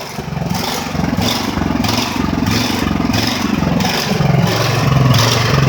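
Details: Ridgid generator with Honda GX 390 engine, finally starting after repairs and months unused, not fully fixed: loud single-cylinder drone swelling and sagging about twice a second, never settling; unstable engine speed, cause unknown.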